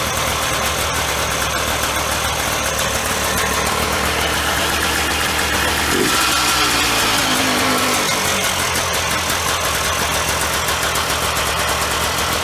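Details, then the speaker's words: 1995 Polaris Scrambler 400 2-stroke 4x4 ATV after replacing the leaking PTO-side crankshaft seal, which had caused a lean idle: steady, even idle with crisp rapid popping, no wavering or knocking, normal running. "Now that that seal is replaced, I'll fire it up. You'll hear it run."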